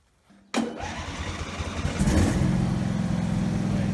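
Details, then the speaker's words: Husqvarna lawn tractor single-cylinder engine after fixing governor shaft not secured to governor arm (previously racing out of control): starts at once, steady even high-speed run at about 1900 RPM, no surging or hunting; governor holding speed properly. "Going to test the throttle real quick to make sure it works right. Yeah, 1900 RPM, that's pretty good."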